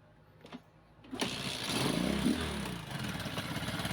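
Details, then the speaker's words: Kawasaki Boxer after fixing the 4-pin CDI conversion and timing, nearly out of fuel: single starter whirr, engine catches cleanly and settles into a steady beat, no longer gasping; normal start and idle. "on hindi na siya hingal [Musika] kabayo y Okay na po yung andar"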